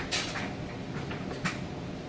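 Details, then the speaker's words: Maytag electric dryer tumbling a full load of freshly washed clothes: soft even thuds about once a second over a steady hum, no shakiness, imbalance, banging or squeal; normal dryer tumbling. "Still sounds excellent. There's no shakiness at all. There's no imbalance on it, and no squealing."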